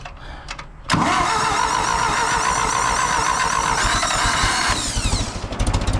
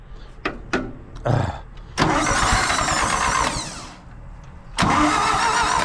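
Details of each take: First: 2000 Toyota Avalon with new carburetor, rebuilt starter and oil change: cranks briefly, catches cleanly at about one second and runs smooth and steady before shutoff; engine starts and runs healthy. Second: Carbureted engine after new coil, points, carburetor, rebuilt alternator and starter: starter cranks at a steady even pace in a couple of long bursts but never catches because the fuel is shut off; owner sure it would start with gas on.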